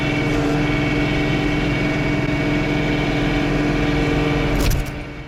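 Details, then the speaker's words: John Deere 3 Series tractor with snowblower running, U-joints greased and auger bearings replaced; steady engine drone with an irregular buzzing vibration rattle on top. Source unknown; owner fears a bearing. "i hope you can hear the vibration noise that i'm that as a snowblower is running the u-joints are grease the the auger bearings are replaced"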